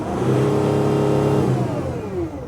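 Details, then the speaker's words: Mercedes Sprinter 3.0L diesel after repair for DTC 2626, DPF and exhaust back-pressure codes: revs climb and hold, then a clean whistle sweeps down; the turbo now hisses and builds about 1068 hPa boost, which it did not before. "I can also hear the turbo hissing, which is good. That was not happening before, so let's drive."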